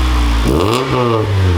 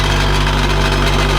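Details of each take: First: Honda Integra after fixing the rattling twin-loop muffler (hole previously patched with putty): engine starts and revs cleanly with a smooth deep exhaust, no rattle or buzz; normal exhaust note, functional muffler restored. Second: Honda Integra with an aftermarket twin-loop muffler at idle: a loud, buzzy metallic rattle from a broken muffler joint vibrating loose. The rattle stops when the muffler is held by hand; it needs welding back on.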